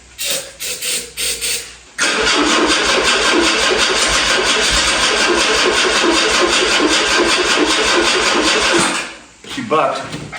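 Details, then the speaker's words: 1984 Dodge 600 SE turbo convertible, stored over 20 years: short cranking bursts, then catches and runs rough about seven seconds on starting fluid before dying; ignition, spark and timing work, but no fuel delivery. "So, that tells me the ignition works. It tells me we've got spark, we've got timing, we've got all the stuff we need, but we're not getting fuel up there."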